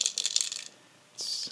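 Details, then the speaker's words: Bluetooth shower speaker that fell and no longer turns on (red charging light, draws 0 A at 5 V) being shaken: bright, clicky rattle of small loose pieces bouncing inside the plastic case. "something's loose inside and it doesn't turn on anymore."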